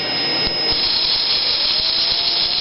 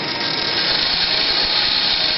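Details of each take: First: Axial XR10 rock crawler stock front axle with ceramic flange bearings spinning: high steady whine with faint rattle, much louder; gears have too much room, probably a failed bearing. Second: Axial XR10 rock crawler rear axle with Hot Racing big-bearing gearbox, spun up: steady smooth high whir, quiet with no knocks or grinding; normal gearbox running.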